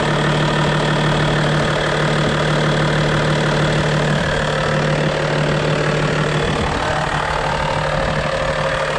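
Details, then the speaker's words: Steady, even low idle settling after start-up on a 1992 Toyota Land Cruiser 80 Series, smooth regular beat with no knocks or misses, no blowback or fumes; AC compressor with seized bearing not hooked up; normal idle. "No blowback, there shouldn't be. No fumes out of there."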